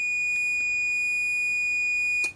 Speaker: że on będzie po prostu sygnalizował że nie jest przejście na przekaźniku to będzie to lepiej widoczne a także to jest pierwszy to pierwszy przekaźnik uruchomiony